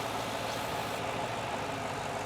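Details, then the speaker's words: Ford Super Duty diesel idling in neutral: steady rushing hiss over the engine as the vacuum line is pulled off while running, a huge vacuum leak; parts suspected fake rather than OEM. "Now what happens if I take that vacuum line off now while it's running? Okay, I'm pulling them off right now. Okay, we got a huge vacuum leak. I can hear it."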